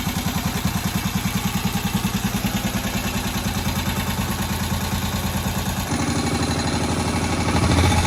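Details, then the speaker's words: Moto Guzzi single barn find after its first start in about 40 years and head work, tick-over just reduced: really low, slow, even thump about three beats a second. Healthy normal low idle, still needing adjustment. "But listen to how it's just sitting there ticking over. That really low guzzy single tick over."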